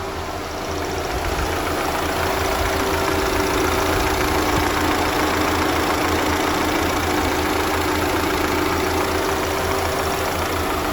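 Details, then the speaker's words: 2.0 TFSI VW/Audi with oil pressure warning per scan tool: steady idle with loose, uneven rattle about three to four per second, fading with a little RPM; sounds like loose engine components, cause unconfirmed, teardown planned. "It does go away with a little bit of RPM, but if you're hearing anything like what I'm hearing, it sounds like there's loose engine components."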